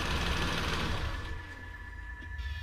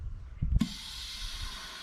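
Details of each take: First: 2012 Nissan Versa (Latio), N17 three-cylinder, after repair of a loud air-escaping noise at shutoff. Idles, then switches off and fades quietly with no hiss: fixed. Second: 2012 Nissan Versa/Latio, N17 3-cylinder, engine off; after handling thumps, a sudden steady hiss of air rushing in from the brake booster. The booster check valve fails to hold vacuum, which is suspected of contributing to the rough idle.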